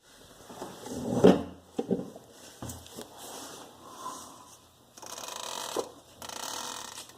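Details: 2007 Jeep Grand Cherokee WK, new driveshaft only five days old, flexed by hand, giving dry, irregular creaks and squeaks; the u-joints at both ends are completely worn out.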